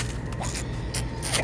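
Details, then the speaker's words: RV city water inlet check valve, removed and blown through backwards: short breathy puffs of air rush straight through, where a good valve passes nothing; valve not sealing, leaking back, causing pump cycling and low pressure; replaced. "See, I can blow clean through this. That tells me it's bad. You shouldn't be able to blow air back through it."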